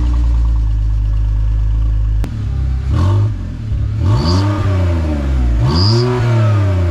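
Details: BMW E46 drift build after a muffler delete: deep exhaust drone on each rev with a thin high whistle rising and falling with engine speed; owner suspects the muffler delete, exhaust whistle unconfirmed.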